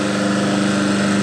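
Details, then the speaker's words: Diesel-fired pressure washer running after repair with a new thermostat (old one's capillary tube snapped) and new heavy flex, hose and lance connected: smooth, constant hum, steady pitch, no surging or rattles; normal running. "I suppose we should see it running. There's diesel in it. I'll connect up the hose and the lance and plug it."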